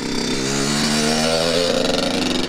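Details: Kawasaki KX100 two-stroke dirt bike converted to street legal, first start and ride: crisp buzz with pitch climbing and easing as throttle is worked, firing even and clean; healthy running.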